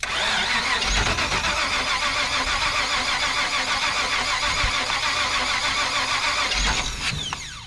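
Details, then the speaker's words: 1977 Chevrolet 4x4, distributor hot-wired, trying to idle; long grinding crank with uneven firing that keeps catching but won't settle. Hard start. "let's get our distributor hot we're going to see if we can get the sucker to idle maybe run run don't don't don't die I said [Applause] run too much"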